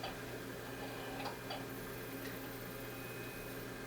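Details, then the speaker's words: NEC Ready 9947C, Pentium III 450, at first power-on after years stored in a basement: low hum with irregular ticks and chirps as the CD drive struggles and the hard drive sounds odd; optical drive noise at power-on. "Okay. Oh, what is this thing doing? The CD drive, first off, is not happy. The hard drive sounds a little interesting."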